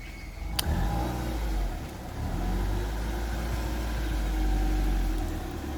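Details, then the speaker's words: Mark One car, driven away after a day of repair jobs: a deep, even engine note rising smoothly with no ticks, knocks or exhaust puffing. It sounds a lot nicer now and the engine is healthy. "cool man you take care that sounds a lot nicer now"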